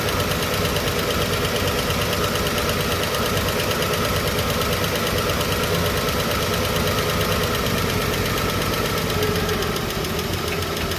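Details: Chevrolet 235 Blue Flame sedan idling after a lifter clean and rebuild: a fast, light, loose-rhythm tick rides on top of the idle. It points to an unadjusted rocker or lifter clearance, with one rocker known to be loose.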